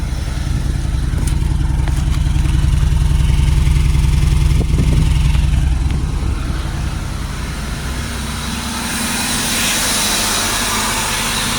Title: 2004 Buick LeSabre misfire